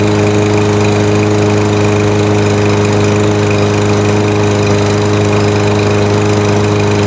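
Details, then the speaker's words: New Yard Force 22" lawnmower on its first use, idling, heard at the handle: steady single-cylinder drone with a light, fast rattly tick on every beat, present since the first startup. Owner unsure of the cause and suspects it may be normal for this engine. "I'll just hold the handle and see if you could hear like a almost a rattly tick tick tick tick tick tick kind of"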